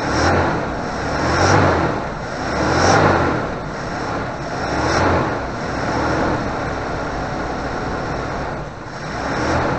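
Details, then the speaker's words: 1988 Suzuki Vitara 1600 wide boy auto, carbureted, off the road since 2004, now running on a fused electric fuel pump with the air filter off. Engine catches and settles into a steady run with gentle, slow swells in level; sounds healthy and even. "lovely success it runs next time we'll find out if he moved hasn't moved for years only on the push power so that was fairly simple to get going"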